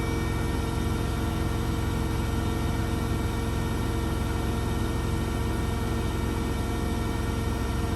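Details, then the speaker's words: Blomberg RapidJET LWF194520QW 9kg washing machine, about a month old, final spin at full 1400 rpm: steady low hum with faint whine, barely vibrates, no thumping; normal spin cycle. "this is the machine right out 1400 rpm as you can see it doesn't that light at all and it barely vibrates"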